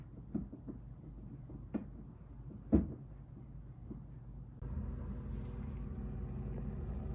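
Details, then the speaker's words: Samsung RF26HFENDSR/AA refrigerator after ice-buildup defrost, cover refitted and fan's two wires reconnected (red bottom, blue top): a few handling knocks, then quiet steady hum and even whir with no scraping; evaporator fan running properly again. "fan is working now, right now. After you plug in the two lines, the fan is working again. You can hear the fans, the sound of the fan."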